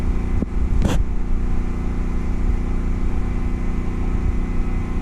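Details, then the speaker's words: Home backup generator during Hurricane Ida outage, already powering refrigerators and freezers, takes on an added appliance with a compressor: steady low engine drone holds speed with a brief click as load comes on, no strain. "this should power this easy"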